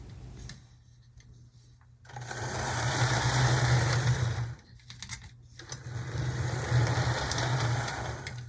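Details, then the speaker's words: Athearn Blue Box HO B&O EMD F7A/ALCO PB-1 model locomotive after testing, shell refitted: steady, even motor whir with no stutters or catches, running smoothly like new. "I think this is running about as good as it would have clean out of the box if you would have bought it from the shelves of the store it's yeah it's in really good shape"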